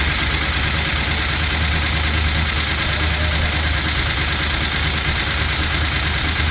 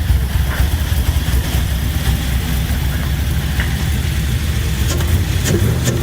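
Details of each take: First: LS-swapped Chevy C10 with new lifters and reinstalled head gaskets and heads: quick light ticking over steady V8 idle following engine speed; valve train tap persists, code reader shows timing advanced, owner suspects cam was installed mistimed. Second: LS-swapped Chevy C10 after new lifters were installed and head gaskets and heads reinstalled to fix loud tapping: deep even V8 rumble, no tapping, oil pressure about 50; normal running.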